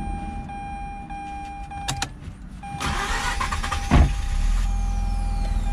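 A short crank, then the rotary catches and settles into a steady, even idle with no misses or odd noises.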